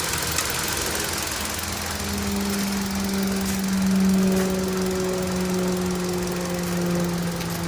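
Engine running steadily with a light, uneven tick riding over the hum, a couple of times a second; source of the tick undetermined.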